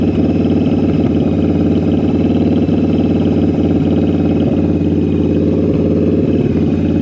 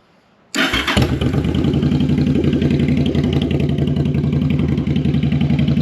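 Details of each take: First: Jocker Bobber V-twin motorcycle with Cobra exhaust, after synchronizing the carburetors with a gauge: steady, even idle with a smooth loping beat and no hunting or stumble; the carbs are balanced. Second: V-twin bobber with a newly fitted Cobra exhaust, warmed up, on a vacuum manometer: lumpy, uneven idle with an irregular pulse; one carburetor pulling much more vacuum, so the carbs are unsynchronized and need adjusting.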